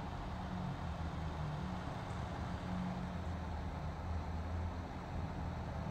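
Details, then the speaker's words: PC power supply fan that had made a grinding noise, after repair and reassembly. A steady, even airy whoosh with a low hum and no grinding, ticking or rubbing. The fan now runs normally. "I can hear the air sucking in and coming out just a normal noise that comes with the pressure of the air but there's no more grinding noise anything like that"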